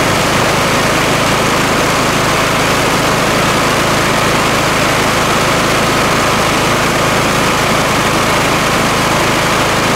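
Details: Kohler Courage single-cylinder riding mower engine after a 200-hour valve clearance adjustment (intake 0.008 to 0.005 in, exhaust 0.011 to 0.007 in), oil topped up, cooling cover off: loud steady drone without misses or tapping, healthy idle.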